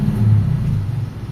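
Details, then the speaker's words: Honda civic with idle problem, after idle bypass fitted so AC can be used: low steady idle rumble sags briefly when AC is switched off, then recovers without stalling; normal idle with brief dip. "Ang nangyayari diyan pagka namatay aircon babagsak yung menor pero bumabalik ulit sa dati."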